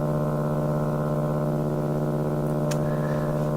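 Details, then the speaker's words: AM radio tuned to 1218 kHz: a steady, harsh buzz with a fast pulsing texture. Traced to radio frequency interference from a computer monitor left in standby. "And in tuning around the dial, I've hit on another very distinct signal that I think is worth trying to track down."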